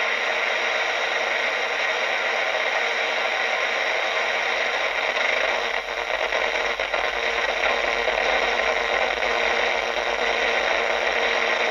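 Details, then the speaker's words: AM radio clock tuned near 612 kHz picks up a loud, constant hissing buzz with faint flutters when the modem is plugged in. Interference was traced to a third-party netbook switch-mode power adapter. "that's the modem you hear talking isn't that weird"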